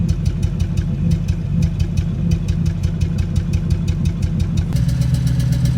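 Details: 2002 Toyota Tundra 2UZ-FE V8 after cold-morning warm-up: uneven lumpy idle with occasional exhaust thuds/pops, cylinder 8 misfire (P0308), lurching on acceleration; bad coil pack the likely cause.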